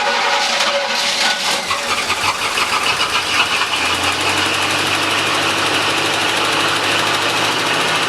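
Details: 1985 Chevrolet C10 V8, first start in 10 years after new fuel pump, tank, lines, starter, battery and distributor module: super high idle with a quick light top-end tick on the passenger side; Lucas oil treatment added.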